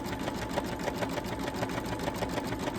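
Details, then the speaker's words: Sewing/embroidery machine with newly replaced needle, stitching through batting, stabilizer and fabric layers: quick even needle strokes about three per second over smooth motor hum; sounding normal again. "Okay, it's sounding like itself now. It's sounding better."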